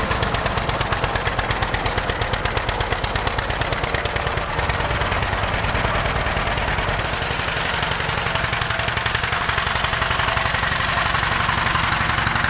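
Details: 1947 John Deere B two-cylinder tractor at start-up, before warm-up and before new spark plugs: sharp, loud pops about three a second with an uneven, lumpy beat. Running on one cylinder.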